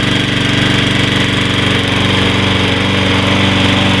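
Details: After carburetor cleaning, first start of a Troy-Bilt 21" 675 Series mower with Briggs & Stratton 6.75 gross torque engine: steady, even beat at constant speed, no surging or hunting; starts better, no lack of power, running normally.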